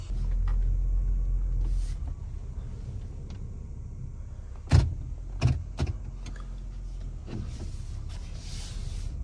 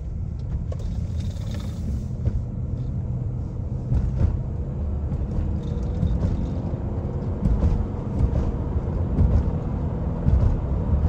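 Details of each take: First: Honda CR-V driven after a noise that sounded like a flat tire: low road rumble with heavy thumps that feel like something hitting the floor; driveshaft vibration from ice buildup. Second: Honda CR-V with a thumping vibration, after a large chunk of ice was hammered out: even low road rumble at steady speed with no rhythmic beat; yokes and U-joints feel solid, only a faint noise remains. Normal driveline.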